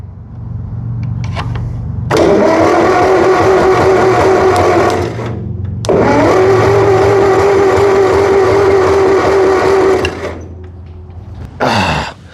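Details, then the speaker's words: 1958 Massey Ferguson TO35 tractor, abandoned, first start attempt with choke on, fuel on, solenoid bypassed, throttle position unknown: two long starter bursts with steady whirring crank and even chuffing, never catches; carb flooding fuel, no spark, bad points found. "So it was obviously getting fuel to the carb, so let's check spark. It probably doesn't have spark if we were getting that much fuel over there. No spark."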